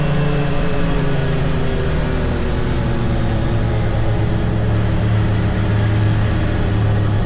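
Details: 2022 Can-Am Defender HD9 DPS cab with factory heater, after foam weather stripping fixed the loose heater core; steady low cab drone through mid speeds of 30-45 mph, no rattle, faint tingy sound.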